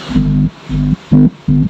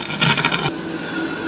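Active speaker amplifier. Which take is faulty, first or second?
second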